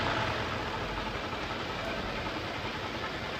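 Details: 2019 Toyota Camry 2GR-FE 3.5L idling with a lumpy, stumbling, shaky misfire, check engine light on, random/multiple cylinder misfire codes, engine vibrating and little power; mechanic suspects faulty fuel injectors, not coils or plugs.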